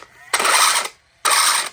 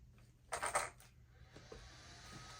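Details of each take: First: Traxxas Slash 4x4 just fitted with a new Velineon system, first power-up: two short bursts of harsh, high, gritty whirring. The motor is pressed on too far, making the gear mesh too tight; it sounded better once the motor was moved out. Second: Traxxas Slash 4x4 after installing a new Velineon brushless motor and ESC, motor backed out slightly from an overly tight gear mesh: short throttle bursts whirr up sharply and coast down cleanly with no clicking or gear chatter; mesh now sounds right.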